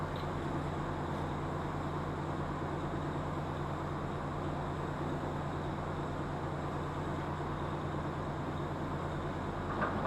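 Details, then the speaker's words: Rotary mower gearbox after repair and oil refill, driven by the tractor PTO as a test run. A steady, even low drone with no knocking, grinding or whine; the gearbox is turning smoothly and normally. "I'm going to go put the PTO in gear on the tractor. We'll take it up to full speed and see what it sounds"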